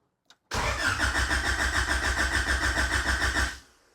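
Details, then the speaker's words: Honda H22 in a Civic on a FuelTech FT450 ECU with a homemade cam trigger pickup, first crank with the fuel pump relay removed to build oil pressure: about three seconds of steady, even starter cranking, no firing. Cranks cleanly. "I've removed the fuel pump relay just to crank the vehicle over, get some oil pressure in the motor."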